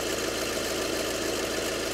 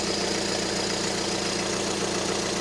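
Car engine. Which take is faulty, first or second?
first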